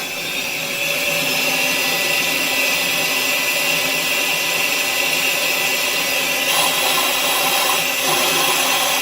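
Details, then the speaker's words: BMW X5 with a secondary mass airflow problem: secondary air pump commanded on while the air injection valve is wiggled. Steady high hiss of air rushing past the valve sealing surface over the pump drone, so pump and valve work, yet no flow goes down the exhaust. "Okay, you can hear air rushing past the sealing surface of the valve. So that proves that to me that this valve is capable of opening."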